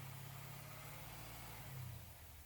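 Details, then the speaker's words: Truck V8 revved under load during fuel pressure test; about 58 psi held, fuel pump and regulator confirmed good. Deep, even rumble lifting briefly as throttle opens, no misses or knocks; normal engine revving. "we'll also want to accelerate it to make sure that it still holds good pressure under load"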